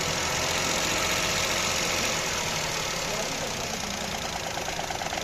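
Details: Car idling with a light throttle held, uneven stumbling beat of roughly three pulses a second under loud hiss and rattle; engine misfire at idle.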